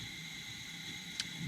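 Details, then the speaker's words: Coleman 500 white-gas stove, preheated, valve full open then back a quarter: steady even hissing roar, no spitting or surging; burning vapor cleanly and running well. "We're going to go full and back a quarter. Now we've got a nice burn. The stove actually runs really well."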